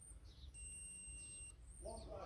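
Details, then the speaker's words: 1978 Honda XL250 barn find: with the rebuilt brake light switch refitted, testing power further up the loom; pressing the brake pedal makes the continuity tester beep, a faint steady high tone, so the switch works. "that's the brake light switch back on and i'm testing further up the loom to make sure we got power so if i stick my foot on the brake now there you go you can hear it beeping"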